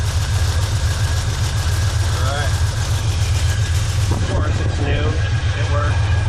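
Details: Car with rebuilt carburetor after replacing the failed Delphi fuel pump with a Carter fuel pump from Jegs, first start: engine fires and settles into a steady, even low idle with no misses or knocks; fuel delivery good.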